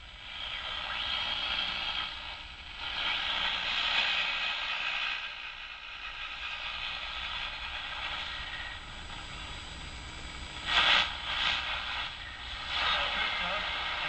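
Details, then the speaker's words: Old Detrola tube radio after tube replacement, with loose dial cords and unable to tune stations: hiss and crackle rise and fall as the dial is turned by hand before a station settles in. Erratic tuning. "You can see the tubes are lighting up. It's making a little noise. I tune it here a little bit."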